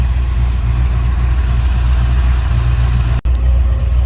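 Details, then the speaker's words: Sweptline truck's vacuum-secondary Holley after ultrasonic cleaning and rebuild with 70 jets (may drop to 68 as idle still seems slightly rich), air cleaner off: steady, low, even idle with a smooth rumble, no misses or knocks. "Got new cleaning solution for it, so it was all clean for it, and blew it out, cleaned it out, put it back together, and it's better. I'm happy. Definite improvement."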